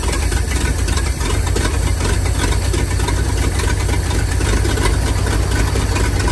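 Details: 1947/1949 International 1-ton flatbed truck, sat about 50–53 years, now running on used plug wires and gas: steady, heavy low rumble with even beat, no knocks or misses; old six running solidly.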